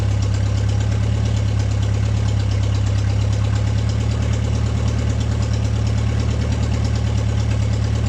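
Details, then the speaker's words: Steady, low, even idle with a soft regular pulse and no misses from an MG pulled from the woods, at its first start in 22 years; it starts and holds idle cleanly without choke. "Huh? It starts without a choke."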